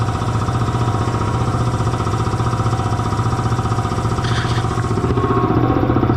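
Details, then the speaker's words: Belt-driven air compressor after tightening the loose drive belt and changing to synthetic oil: steady even thump about four a second, no slap or squeal, reaches 175 psi cut-off; runs normally after fix. "Oil was due for a change anyway, but she's just hammering right along now."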